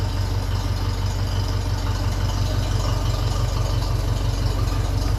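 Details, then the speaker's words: 1957 Ferguson 35 TVO tractor, warm, after cylinder head work, with trial vertical exhaust fitted on a made-up sleeve that still leaks: low, even thump about three beats a second, no spits or pops; healthy idle. "it sounds like it's running fairly well there's no spits and farts out of it"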